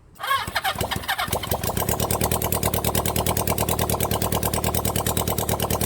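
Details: Rebuilt 1975 Honda CB400 Four engine, first start on test run: catches after a couple of coughs and settles into a quick, even four-cylinder patter; starts easily, though a carburettor keeps flooding.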